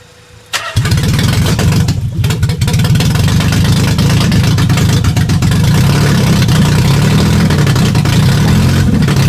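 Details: Nissan 300ZX after jumped timing belt was reset, start test: engine catches into a heavy, uneven low drone with lumpy irregular beat, sounding like missing cylinders; bent valves suspected, header temperatures being checked per cylinder, not confirmed.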